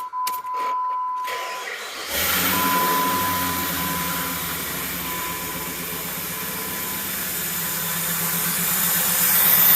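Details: 2004 Jeep Grand Cherokee, over 225,000 miles, first start after replacing all fuel injectors (three originals cracked), air box unplugged: starter whirs briefly, catches at about two seconds, then settles into a steady, even idle without stumbling.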